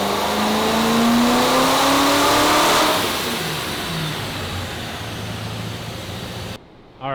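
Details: Supercharged C5 Corvette Z06, unstarted for over 3 years, mileage unknown: V8 blips up with a clean rising note, then falls back to a steady, even idle with no misses or knocks. Revving sounds healthy, though low oil pressure was noted.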